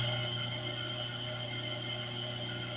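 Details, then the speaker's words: Truper 1/2 hp peripheral water pump motor after replacing worn bearing and cleaning shaft and corroded motor body, bench-tested before final assembly: smooth, even electric hum with no rattle or grind, now a normal motor sound. "ahora se escucha que ya es un este un zumbido normal del motor."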